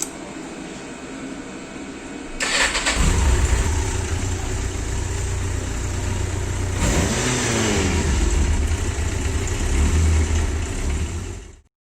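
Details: Yamaha Diversion 900 after generator overhaul and timing chain tensioner work for an engine knock: catches after short crank, settles into a steady, even idle with no knock standing out; healthy.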